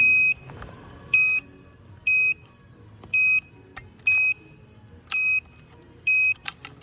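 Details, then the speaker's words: Any Load 805BS scale just after calibration: sharp high-pitched beeps repeating about once a second on their own over a quiet background. Removing the keypad stopped it, but it later returned; cause of the repeated beeping unknown. "But when the customer brings these scales, it's make this type of noise, yeah."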